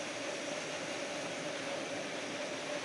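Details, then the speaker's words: Bosch gas water heater that would not light: pilot lit, burner gives a steady soft roar, no popping; burner operating normally. "premio del piloto y hay encendió el quemador"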